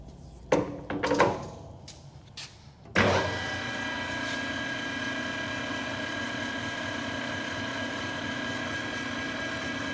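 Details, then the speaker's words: New Precision Matthews PM 1660-TL lathe on its first run and break-in, spindle at about 380 rpm: after some handling clatter it settles into a smooth, steady gear whine with no knocks. Normal headstock gear noise. "i think everything's sounding go good to one two one and then we're going to bring this down into high speed"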